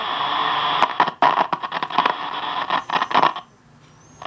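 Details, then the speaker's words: General Electric C-403A radio with a trimmer capacitor deliberately shorted: crackly, static-filled audio cuts out abruptly to near silence and stays dead as the tank circuit can no longer resonate; no reception. "it dead killed it dip okay shorting that trimmer cap what you're essentially doing is shorting it up"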